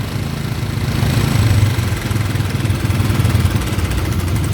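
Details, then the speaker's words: Honda Karisma motorcycle with a leaking fuel tap that lets fuel be sucked from the intake-manifold port, flooding the carburettor, unstable idle: a single-cylinder thump that surges and sags and won't settle even after idle adjustment. "ini kan enggak mau langsam kan enggak mau langsam kondisi mesin itu kayak terasa berebat-bbet"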